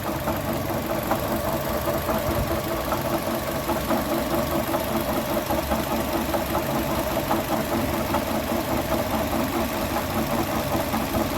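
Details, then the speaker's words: 2012 Chevrolet Sonic petrol idling with a steady light knock about two to three a second. The knock went away when the belt was removed, and the water pump, apparently the source, is to be replaced. "Bueno ahí como se ve parece Aparentemente la bomba de agua ahí es el golpeteo que se escucha bueno se va a tener que reemplazar la bomba"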